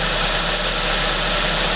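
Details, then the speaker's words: Suzuki ZC31S with supercharger, at idle: thin steady high-pitched squeal over even idle from the supercharger main pulley V-belt; engine otherwise sounds fine. "Dia lagi call idle sekarang. Dari ini, dari main pulley-nya."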